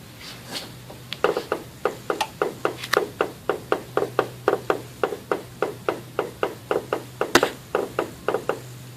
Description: The new KYB Strut assemblies I installed in my '04 Caddy Deville click with the slightest compression. The noise is amplified as it reverberates through the towers.